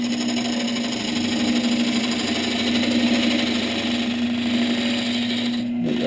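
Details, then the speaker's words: Lathe roughing a spalted birch bowl blank from a split log; a thin, long homemade skew-chisel gouge chatters against the spinning work, giving a steady buzzing rattle with a fixed tone near 200 Hz. "this is a skewchy gel gouge that i made it's a little thin and a little long so it chatters but for this kind of thing it works really good"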